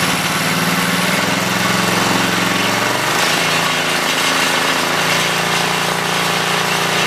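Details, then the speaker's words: 5HP Briggs rototiller single-cylinder engine after fitting double carburetor-to-tank base gaskets: uneven, hunting idle with a slight lope; hard to tune, often running rich, traced to a blocked fuel cap vent. "either it would be too lean or too rich a lot of time well a lot of time would be rich so i decided to take a look at the cap"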